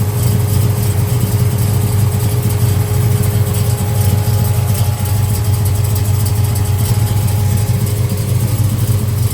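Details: 1968 Chevrolet Chevelle, 454 crate big-block V8, 700R4 automatic, 364 miles since gauges installed: deep, even burble at steady idle, no misses, knocks or ticking; healthy.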